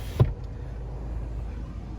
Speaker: what I'm gonna do is I'm gonna check the windows okay the left one that works okay the right one that works okay